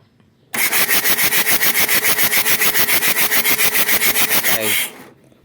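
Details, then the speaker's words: Mitsubishi Adventure diesel cranks steadily for four seconds without firing, even after a new nozzle/heater part; hard starting from air entering at a leak at the fuel pump. "Ayaw pa rin sumunog. Heart start pa rin. Umaandar minsan. Ayaw pa rin."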